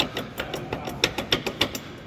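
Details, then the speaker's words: Pickup driveshaft rocked by hand: quick metallic clicks, about five a second, a clack on accelerating and another on release; play in a worn transmission U-joint (cruzeta). "E qual é quando você acelera essa folga aqui ó é trec trec aqui ó aí instala quando acelera dá um estalo quando solta da outro estalo"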